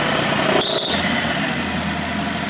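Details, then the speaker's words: 2017 Toyota Vios overheating with or without AC despite new drive belt: sharp steady high-pitched squeal over running engine with AC on, AC blowing hot air, radiator fan not coming on and AC clutch not engaging; relays 1 and 2 test fine, fault unlocated. "I'm checking the drive voltage. That's what I mean. That's the sound, the squealing sound."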